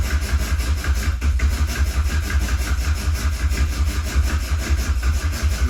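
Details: Mk1 Cavalier, unrun for 8 years, oil pump primed, fuel just added: steady, even cranking at about two turns a second on the starter. Oil light is out and the oil pressure gauge is rising.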